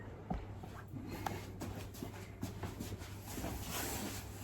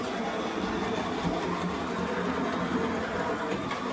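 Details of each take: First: Model railway N2 locomotive on the just-reassembled Leopard Street layout with track power back on. The motor whirs and rasps unevenly, drops out near five seconds, then picks back up. It runs roughly and stalls, clearly unhealthy. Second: J52 locomotive running laps of the just-reassembled Leopard Street layout to check the track. A soft, even motor hum and steady wheel rumble with no stutter or hesitation; normal, healthy running.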